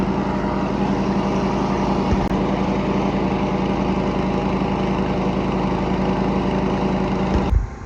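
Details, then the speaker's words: Cub Cadet 104 garden tractor, ant-infested and sitting many years, deck and mule-drive belt reinstalled: single-cylinder runs steady and even under mowing load with no stumbles, then cuts off cleanly; fired right up, healthy running. "Outside of the ant infestation, I can't believe it fired right up like that and started running."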